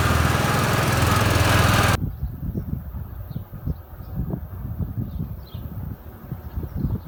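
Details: 2013 Walker T23 commercial mower, 23 hp Kohler, revived after years in a paddock, with new hydraulic line, cutting grass: strong even drone under load, then lighter steady putter, no knocks or misfires; normal running under load.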